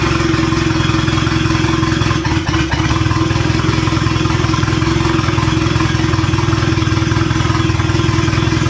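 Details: Boosted B18 Honda Civic EG hatch, first start attempts: steady idle with an uneven, loping pulse around three beats a second and slight shake; pulling each plug killed it, suggesting all four cylinders fire; transmission issues noted; cause unclear.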